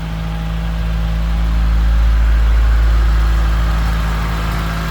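A steady, even low drone swells slightly and settles back with no knocks or misses; the engine runs smooth and healthy.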